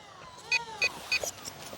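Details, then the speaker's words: RadioLink SU27 RTF profile RC plane in flight, fly-past: sharp high chirps about three times a second over a sliding motor whine; unusual noise, pilot suspects something loosening, cause unconfirmed. "folks do you hear that noise that was interesting you hear it you want to know what that noise is I'm going to demonstrate what it is"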